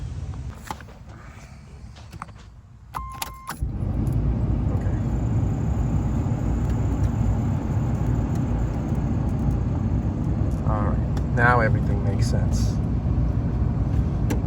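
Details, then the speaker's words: 1984 Chevrolet Camaro Z28, after fixing a bad ground on the black wire: a steady low whoosh runs evenly with the engine as the cooling fan comes on with the A/C and shuts off on vent or heat; normal cooling fan operation. "you turn it onto air conditioning the cooling fan comes on when you turn it onto vent or heater the fan goes off like it should so I think that one issue solved all the problems I was having with the cooling fan and the blower"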